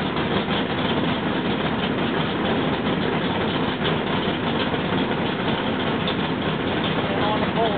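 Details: Rebuilt L88 427 Chevy big-block V8 from a '66 Chevy II, with hydraulic roller cam, aluminum heads, 9.6:1 compression, after timing set: steady, even idle with deep rumble through mufflers; no knocks or ticks, healthy.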